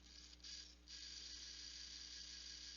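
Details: Intel NUC5i7RYH with dying BSB05505HP brushless fan: fine, rapid ratcheting chatter and scraping grind on its high-pitched whir, worse in certain positions, and a slight touch on the fan stops the sound; cause not confirmed.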